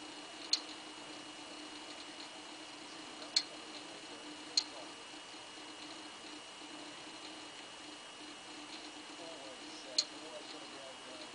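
Sharp single clicks at uneven gaps of one to five seconds over a steady faint hum; the recorder box is clicking internally.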